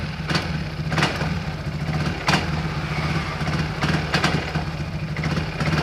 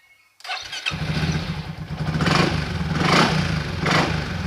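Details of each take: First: Yamaha X-Max 300 scooter, hard to start and won't idle: engine idles unevenly, low burble broken by irregular stumbles and sharp bursts, before home repair. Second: Yamaha XMAX 300 scooter after repair: cranks, catches and settles into a steady, even idle with no stumbling; previously hard starting and unable to idle.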